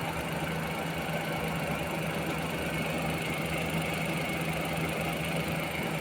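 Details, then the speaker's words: Suzuki minivan D63 engine with air conditioning on, check-engine light intermittent: uneven, shaking idle with dull low pulse, body vibrating; cylinder 2 misfire despite new spark plugs and coil, traced to valve clearance. "So naglindol na yung sasakyan. Yan oh. yung body ay talagang nag-vibrate."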